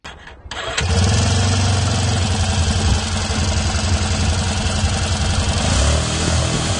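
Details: Quad (ATV) that arrived in pieces, first start after being reassembled: engine catches within a second and settles into an even, steady idle with no misses or knocks, running fine.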